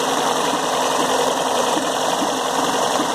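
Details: VW Gol 16-valve engine running: fast, even ticking whirr riding on top of the idle; noise from the timing belt bearing.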